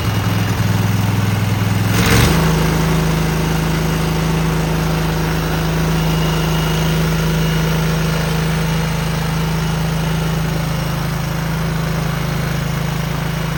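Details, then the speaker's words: Cub Cadet garden tractor twin just after new spark plugs, carburetor not cleaned, frozen choke, and an unlocated gas leak: after a short catch it settles into a steady, even drone with no misses or knocks. Normal running. "This is a pretty smooth motor. I did not clean the carburetor, but we're gonna see if we can get it started again."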